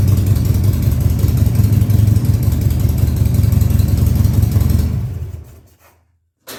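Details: Harley-Davidson Sportster 1200 Custom (stated as 2000 and 2003), first start after sitting about six years, run at high idle: steady loping V-twin beat, evenly paced with no misses, then a clean shutdown; running normally.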